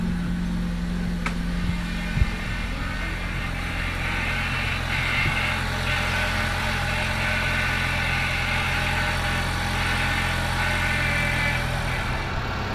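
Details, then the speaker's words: 2006 Honda Civic FD just after power steering pump replacement and fluid refill, first start: engine idling with a faint high whine coming and going; pump whining because fluid had drained from the system, low fluid. "เสียงมันหอนเมื่อกี้นะครับก็คือปั๊มน้ำมันพาวเวอร์มันหอนนะครับเพราะว่าน้ำมันต้องไปจากระบบนะครับแล้วก็เติมกลับเข้าไป"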